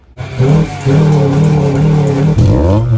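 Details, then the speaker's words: Honda EK Civic accelerating: the engine pulls, then jolts and stumbles with a big fuel surge after a new fuel pump was fitted. The owner suspects the pump or the fully rusted tank clogging the filters; the planned fix is a new pump and tank. "So while we're accelerating and we have a big jolt, we have a massive fuel surge, and this is due to the new fuel pump we put in."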